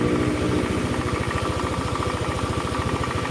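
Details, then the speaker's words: Honda Beat scooter, rough-sounding and smoking, burning oil: steady idle with soft regular knock about three per second from worn connecting rod, loudest at cold start before oil reaches the rod, easing as it runs. "tapi kalau baru dibunyikan pasti oli itu belum mengalir di sana tapi didiemin kayak gini tuh nanti hilang bukan hilang Ya suaranya agak reda"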